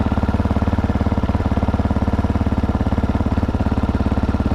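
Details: GPX 300R single-cylinder motorcycle idling after new regulator installed, dash voltage rising 13.33 to 13.38 V: steady even thump about 214 beats a minute, no misses or knocks; normal idle, repair successful.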